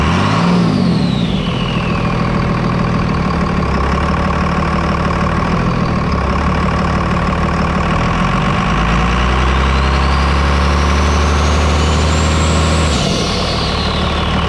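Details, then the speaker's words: 5.9 Cummins diesel, stock turbo with silencer ring removed, stock exhaust: strong clear turbo whistle rising and falling with revs over diesel idle, loud and open. "wow that that's nuts that's so hot that's freaking loud for just a little small"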